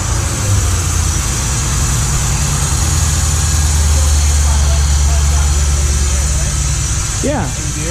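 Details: Lincoln Mark VIII V8 converted to manual transmission, just running after the swap: low uneven rumble and rough flutter following engine speed; owner suspects the flexplate or spacer plate, source unconfirmed.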